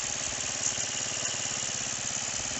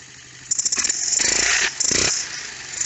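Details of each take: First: Roketa 150cc GY6-style scooter, first attempt to get it running: fast, even buzzing idle with a steady pulse and no stumbling; pilot mixture screw backed out almost all the way to compensate for jetting, too far out, over-rich idle. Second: 150cc GY6-style Roketa scooter, fuel line cleaned and set for continuous fuel flow, electric choke disconnected: catches quickly, revs cleanly through blips and settles to an even idle; sounds healthy.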